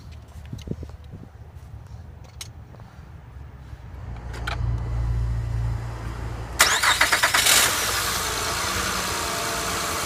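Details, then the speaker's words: Honda Odyssey after replacing the drive belt and harmonic balancer: a few clicks, then the engine cranks, catches and settles into a smooth idle with no belt squeal or clatter, confirming correct belt routing. "so as you can hear there's no belt squeal looking at the ordinary if you had it routed wrong there may be a bit little bit of slack in it you may hear some squealing or maybe it's a little bit of clattering but as you can hear there's none of that"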